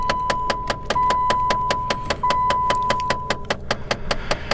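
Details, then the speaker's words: 2014 Dodge Avenger, about 9.5 years old, key on: steady rapid clicking of about two and a half per second from the dash, from the air door actuators, not yet replaced; blend door actuator clicking. "those are my air door actuators. Pardon that noise. I haven't fixed those yet. I haven't replaced them."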